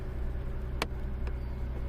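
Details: 2003 Mercedes-Benz E-Class 3.2L, previously crank-no-start with a suspected fuel pump, after starting: low steady rumble with an even beat, no stumble or misfire, one faint click; smooth idle.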